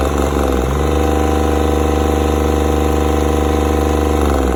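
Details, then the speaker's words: Yanmar 3TNE74 three-cylinder 22 hp diesel, rated 2800–3050 rpm, with the water pump checked: a smooth, even, low chug at steady idle with no stumbling or missed beats and no blow-by from the breather. Normal idle. "ไม่มีสะดุดนะครับเรานิ่มดูท่อระบายลมดันยังไม่มีเลยไม่มีรถดันนะครับ"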